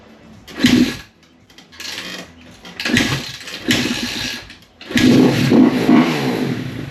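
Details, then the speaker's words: 2017 KX250F just rebuilt, unstarted for weeks, hard to kick, sprayed with intake cleaner, idle screw and choke adjusted: engine catches in short bursts then dies each time; fuel starvation, later traced to a broken fuel pump connector. "So we messed with the idle screw and choke, trying to get her to stay running. Trying to figure out if it's just too low of idle, you know, it's been first time put back together, or if it's a fuel issue, which is still a maybe."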